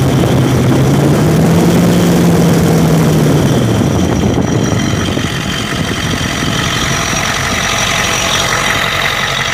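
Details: 1992 Ford 7.3 IDI diesel at idle with an uneven, loping beat near three per second and a knocky, injector-like edge. The intermittent misfire comes with blowby. Teardown found the second ring broken on two pistons and one bad valve guide.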